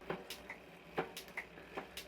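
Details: Rear wheel of a 2005 Commencal full-suspension mountain bike spinning after a 1x11 drivetrain conversion with new chain: light, even ticks a few times a second, no grinding or chain noise; normal freewheel ticking.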